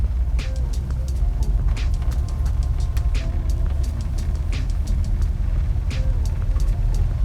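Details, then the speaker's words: 80s conversion van driving at speed after driveshaft work: deep, steady low rumble under road noise, much less shaking than before but still not right; owner suspects the driveline, source not confirmed. "rumbling and I'm at 120 miles an hour so hardly an improvement now granted before would shake out of your seat now it's hardly noticeable but unfortunately it's still not quite right"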